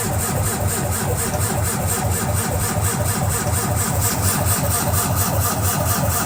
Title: CUMMINS ISX COLD START NO START #cummins #isx15